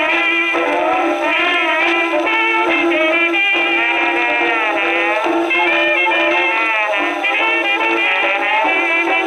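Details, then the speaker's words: Second HMV No. 4 reproducer, just rebuilt, comparison test on Victrola VV-50 with brand-new mainspring: clear, full band music, steady tone, no buzz, rattle or distortion; sounds like a decent reproducer. "Victrola 50, the jazz age lives. Well, that sounds like a decent reproducer."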